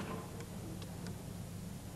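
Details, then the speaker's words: Rover 800 workshop fault-finding, key turned to start: faint light starter relay tick or two over a low hum, no louder solenoid clunk and no cranking; relay switching circuit works but starter solenoid does not engage. "bien ce que je pensais il y à bien le déclic du relais mais rien au niveau des solénoïde le déclic de ce relais nous indique que le circuit de commutation fonctionne"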